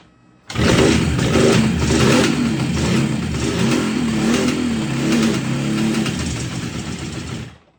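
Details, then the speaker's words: 1969 Kawasaki H1 two-stroke triple barn find, sitting 30+ years, first start after recommissioning: crackly engine catches and runs on, revving briskly and evenly without misfire or knocking; sounds healthy. "Oh, that sound good or what? Wow. Amazing."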